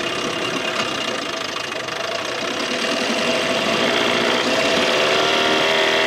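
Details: 1987 Johnson 6 hp two-stroke outboard on the water after carburetor swapped to fix bogging; even, buzzy note rises slightly and settles, no knocking or stumbling; sounds healthy.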